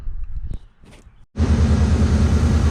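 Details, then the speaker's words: 2003 Mercury Mountaineer after replacing a pulley and refitting the belt: the engine starts to a steady, fairly loud exhaust rumble, and the high-speed belt squeal is gone. "all right so this thing's kind of loud exhaust wise but you can hear uh now all that noise is [Music] gone"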